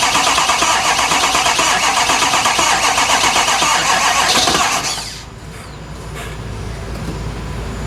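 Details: Ford F250 with 6.7 Powerstroke turbo diesel: fast, regular cranking at about four beats a second for five seconds, then the starter stops and the engine never catches. Crank, no start.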